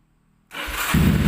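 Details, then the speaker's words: Honda CB100 motorcycle converted to electric start, unused for several months, after carburetor cleaning, new spark plug and fresh petrol: quick crank and it fires straight away, settling into a steady run; clean healthy start. "Wow langsung nyala teman-teman ya ya ya kan langsung nyala Alhamdulillah Oke teman-teman si CB udah nyala teman-teman"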